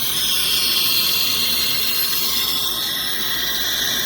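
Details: Temescal FC1800 vacuum chamber venting to atmosphere before pumpdown: steady, even high-pitched hiss of air rushing into the chamber with no sputter or pulsing; normal vent.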